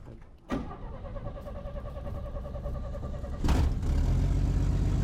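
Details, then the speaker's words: 1965 Chevy C10 with a new $70 eBay carburetor fitted out of the box, untuned: catches almost immediately and settles into an even run, picking up smoothly with throttle; previously needed gas poured down the carb to start. "I mean, gang, that fired up like immediately, which you saw all the times I tried to move it just back here and how I had to pour gas down the app between the between the choke and probably the acceler."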